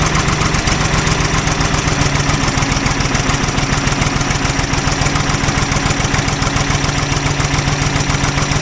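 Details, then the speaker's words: Old Ford loader backhoe, long unused, idling unevenly with a pulse about 3.5 times a second and irregular pops; mechanic suspects it isn't getting full gas flow, as a fuel line connection leaks gas badly; cause not confirmed. "there was a lot of popping going on um which I actually think uh is because it's not getting full uh gas flow"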